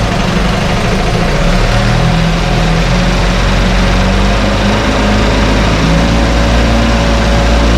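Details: 1968 Evinrude Fastwin outboard in test tank, untouched, Sea Foam mixed in fuel: smooth even two-stroke burble at steady idle from cold, no coughing, stumbling or misfire; normal idle.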